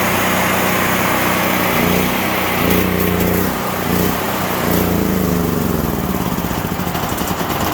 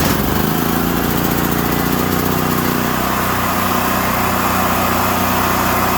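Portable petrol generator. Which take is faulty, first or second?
first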